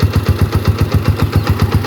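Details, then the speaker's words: 2016 Honda TMX 125 tricycle, single cylinder, idling after a DIY tune-up with valve clearance set to 0.8: even, steady thumps about four or five a second; the earlier ticking is gone, normal idle. "So kanina medyo may lagitik eh Inulit ko mga idol ayan wala na ayos"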